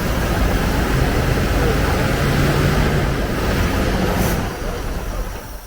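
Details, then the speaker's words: Bronco on its first fire-up after priming, somewhat flooded, revved hard with good oil pressure: loud, even roar settling off throttle with no valve-train, rod or bottom-end noise; fuel is leaking. "well the motor sounds great I don't hear any valve train noise at all I don't hear any Rod stuff no bottom end noise noise sounds like the motor is going to be just fine"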